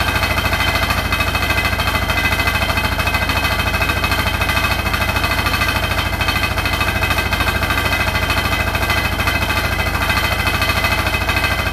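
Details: Hotpoint NSWR843C washing machine on final 1200rpm spin: a fast, steady hammering rattle of about three knocks a second; the cause of the loud rattle is unknown.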